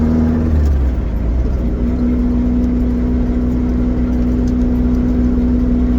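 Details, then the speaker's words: Vauxhall Nova GTE on a test drive after fitting a C20LET 2.0 16V turbo engine, warming up: a steady, even engine note with a constant mid tone and no knocks or scraping; the air-fuel ratio looks good and it runs fine. "everything seems to be running all here up and now Aon fuel ratio looks [Music] good nothing seems on [Music] clear seems we running fine"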